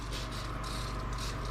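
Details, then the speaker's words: 1990 one-ton Ford Bronco project priming its fuel system at key-on after months of work: low pump hum under a pulsing high hiss as fuel sprays out; owner thinks an injector is leaking. "or not because that sounds like a fuel leak holy cow what do we got going on over here we definitely have a fuel like yikes"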